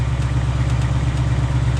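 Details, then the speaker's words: 2020 Ford Mustang GT V8, new, tick first heard around 1,000 miles: faint, irregular light metallic ticks over a steady idle; the owner calls it a scary noise, cause not yet known. "a weird sound you know I'm not quite sure what that is I mean I think I see it it's quite evident that I have that noise it's it's really a scary noise"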